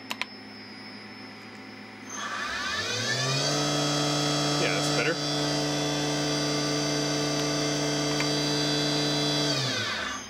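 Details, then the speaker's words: Tree Journeyman 325 CNC milling machine spindle, run in reverse after the velocity loop offset pot was adjusted. It winds up smoothly to a steady, clean whine at full speed with no errors. It runs normally apart from a very slight creep at zero speed. "try that in Reverse too yep that sounds good"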